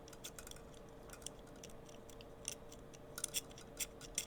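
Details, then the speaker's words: Sovol SV08 fitted with CN3D Toolhead V4 filament sensor: crisp little clicks over a quiet hum as filament is inserted, a 5 mm ball bearing pushing up the micro switch to indicate filament present; normal filament sensor switch click. "I don't know if you guys can hear that that's the ball bearing pushing up against the micro switch and that's the indicator that filament is present"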